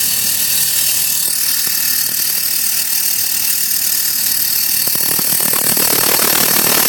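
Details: Saturn engine: a fast metallic rattle, roughly three to four per second, over a thin engine hum; owner suspects the timing chain or a pulley bearing, cause not confirmed.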